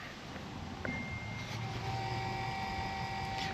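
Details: LBZ Duramax with newly installed FASS 165 no-drop lift pump and sump, running after a bad ground wire was fixed: faint hum starting about a second in, holding a steady unbroken pitch; lift pump working properly.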